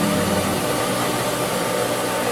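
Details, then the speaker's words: Pool pump priming at pool opening, housing cracked and squirting water: a steady hissing rush of air and water with no firm tone yet. Water is coming in but lots of air still has to purge. "But we're getting, you know, a considerable amount of water in there, but there's still tons of air. That's got to get out."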